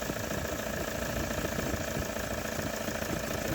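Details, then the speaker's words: Toyota Hilux 3.0 diesel after the worn water pump, camshaft seal and accessory belt were replaced, with the air conditioning working: a steady, even idle clatter with no knocks or misses. A healthy idle. "bom então já está funcionando essa bruta e E aí o funcionando bonitinho é E aí E aí E aí e o ar condicionado também tá funcionando"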